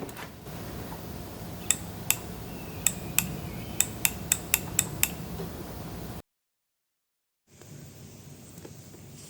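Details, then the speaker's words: Big Dog K9 motorcycle: sharp dry clicks, about ten in three seconds, as the brake light relay switches normally each time the brake is applied, during rear light rewiring to UK and European spec. "now I'm going to activate the brake and see if we can hit that relay clicking"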